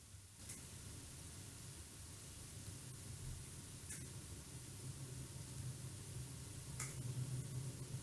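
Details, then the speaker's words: Robot actuator motor on Tinymovr board's onboard position loop, velocity gain raised; steady gritty hum that swells toward the end; vibration caused by velocity loop gain set too high. "cette vibration sel c'est le bruit c'est le bien vélocité qui fait ça"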